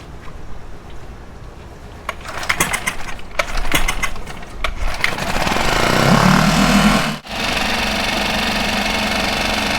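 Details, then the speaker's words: 5 HP Mercury four-stroke outboard, previously submerged, with loud fuel pump ticking, after fuel pump replacement: a few rough catches on starting, then steady even idle; decibel meter shows noise dropped slightly. "all right looks like it did drop it down a little bit so it did drop it down some"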